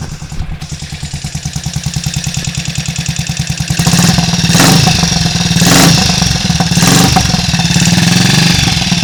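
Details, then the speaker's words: Triumph Tiger Cub single after engine rebuild, first run warming up, alternator off: steady slightly lazy idle thump picking up to a fuller beat; the drag when revved means ignition too retarded, otherwise sounding okay, timing to be strobed. "Just tell there when I try and rev it up, that sort of drag, that means the ignition's too retarded."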